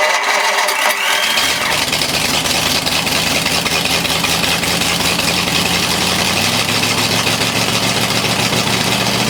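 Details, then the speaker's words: Race Ford flathead 8BA V8 on an engine run stand: brief crank catches after a second and settles into a steady, even idle; starts and runs, but the oil pressure gauge did not register, so the gauge is blamed, not the engine. "okay so as you just saw we got it fired and uh but the oil pressure did not register in the oil pressure gauge so clearly the problems the gauge not the engine"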